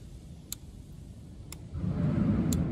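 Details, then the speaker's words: Canister purge control valve actuated by scan tool active test, ignition on, engine off: three sharp evenly spaced clicks about once a second; valve working normally. "So I'm really hoping that you can hear the ticking sound. So it's activating the valve with no issue."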